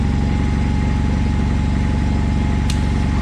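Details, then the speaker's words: John Deere 317 lawn tractor after engine reassembly, running with the PTO/deck drive engaged: an even, steady little burble with no misses or knocks. Healthy running. "sounds like it does engine's got a nice little burble to it"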